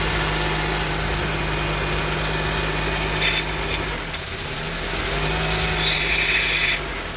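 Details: 2002 Honda CR-V 2.4L with rough idle and hunting RPM; with the MAP sensor unplugged the engine holds a steady high idle that runs smooth and no longer goes up and down, and the check engine light comes on.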